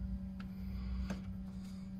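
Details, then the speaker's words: Alde 3020 caravan heating inline circulation pump (2015 Bailey Unicorn III Barcelona), pump speed setting raised from lowest toward 1–2 (originally loud at 1.5): steady low hum with scattered ticks, jet-engine-like roar, pump failing. "sort of sounds like a jet engine and that was the problem that we had so originally the pump was making that sound when the pump setting was on 1.5 so i knew that the pump was a bit odd"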